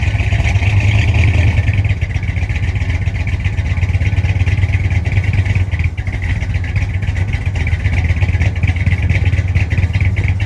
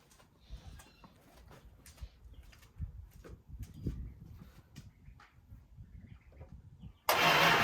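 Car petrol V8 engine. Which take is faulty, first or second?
second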